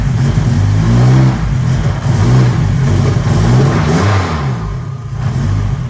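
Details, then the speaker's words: Nissan Cefiro with K24 engine swap, first start, timing locked at 0 degrees, stock tune, turbo oil feed not yet connected: fires right up and revs cleanly in rising and falling pulls, steady exhaust note, no misses or knocks; running well. "Well, she runs good, fires right up. Now that's with the timing locked at 0 degrees."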